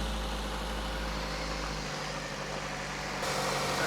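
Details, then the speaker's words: $500 abandoned car that had been sitting, started during a tune-up after the air filter was checked: a steady, low, even hum with no knock, no miss and no odd timing. Smooth, healthy idle. "It sounded pretty good. >> Yeah, it's not bad. >> I was kind of impressed. I thought it would have like a little bit of an odd knock or or the timing would sound off. But it sounded smooth."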